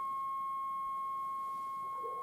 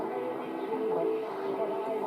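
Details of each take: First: GEC BC505 1960 transistor portable, long wave alignment: signal generator at 220 injected, dial tuned near 1364 on long wave, ferrite aerial coil L3 trimmed for maximum output; pure steady whistle near one kilohertz from the speaker barely shifting as trimmed. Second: 1960 GEC BC505 transistor radio after long-wave coil aligned on the ferrite rod and fixed with beeswax: stations come through clearly on long wave with steady audio and no crackle; long wave now works.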